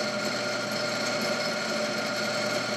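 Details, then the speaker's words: Clausing 5913 lathe variable speed drive, belts removed: motor run alone to isolate headstock vibration gives an even, steady hum with clean high whine and very little vibration, so motor is not the cause. "let's see let's turn it on so right now with this the motor just pretty good very little"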